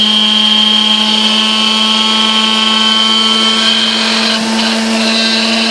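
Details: 1960s Hamilton Beach Model K stand mixer after maintenance and service, heavy grime scraped off, turntable still missing: steady, even motor hum holding one pitch, no grinding or rattle; runs smoothly and sounds healthy.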